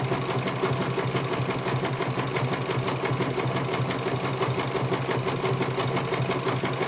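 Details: CNY computer embroidery machine in for service; at first its motor (dinamo) would not turn at all and the bobbin case was missing. Even, quick stitching near three beats a second over a smooth motor hum, no grinding or skipping, finishing one colour; normal stitching, judged very good.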